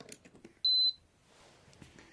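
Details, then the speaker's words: Infrared cooker control board bench-powered via alligator clips from power supply; one clean high beep about a third of a second at switch-on, then quiet; normal power-on beep, board working. "यह आप देख सकते हो यहां पर यह कैसे on हो गया। यह देख सकते हो आप यह बिल्कुल अच्छे से वर्क कर रहा है।"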